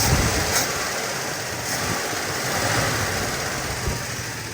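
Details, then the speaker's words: Warm Plymouth with stock Carter carb, exhaust clean after minutes of idling: raised, even idle under hissy background, hung up on the carb's fast-idle step; also backfires under hard throttle when driven. "And it still wants to sit up on that high idle thing."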